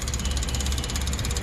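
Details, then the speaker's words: Sullair 260 compressor with 194 operating hours, brought in for not starting and a starter solenoid that burned out three times, with air filters heavily clogged: quick even ticking about a dozen per second over a low hum at key-on; electric fuel pump running. "cuando activamos escuchamos de inmediato que está funcionando la bomba de combustible"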